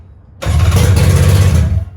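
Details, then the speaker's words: 1997 Polaris SLX 1050 jet ski at first fire after an engine rebuild with new pistons, head cooling parts and silencer not yet fitted: fires at once and holds a steady, deep, even burble briefly. It sounds good. "sounds good nice you're right we should have fired it out there"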